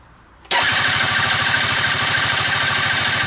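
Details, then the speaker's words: Quantum RS on a lift, cranking on the starter. Spark confirmed and compression audible as even chugging pulses, but it never catches. Cranking no-start. "dobra mamy iskrę więc wiemy że po stronie elektrycznej mamy silnik ma kompresję ponieważ słychać specyficzną pracy silnika podciąganiem więc kompresja jest na pewno"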